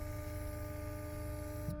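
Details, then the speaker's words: Porsche Cayenne V6 diesel with a no-power problem, engine off, diagnostic actuator test of the auxiliary fuel pump: a faint, steady electric hum with a soft relay click near the end. Pump and relay working normally. "I can hear the office for auxiliary fuel pump it's working you hear it"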